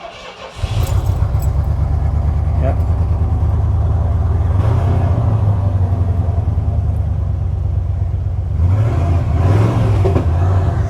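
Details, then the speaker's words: 1991 Ford F-150 XL 4x4 with early fuel injection, first start after an engine bay clean and tune-up: catches after cranking and runs rough with a stumbling, missing beat; owner suspects the coil. "It's that stumble in the beginning. We need to check. We need to own the coil."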